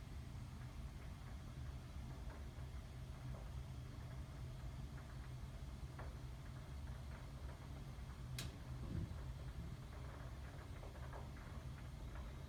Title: 2017 January - should my water heater be making this noise?